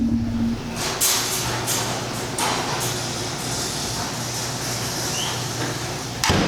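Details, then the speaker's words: Impact-rated garage door, 3–4 years old, after lubricating joints, wheels, rails and shafts to cure a squeal: steady low opener motor hum with a few soft thumps, no squeal or scraping; runs smooth and quiet. "and with the house door closed you hear nothing that's the best part you don't hear it inside at all"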